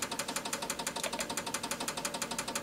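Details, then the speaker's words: Advantest R6581T 8.5-digit multimeter: rapid, even relay clicks, about six a second, as it fails to auto-range above 200 mV and shows false overload; suspected bad battery, fixed by battery replacement and internal calibration. "to auto range and it can't do it. So that's the other problem I need to look at."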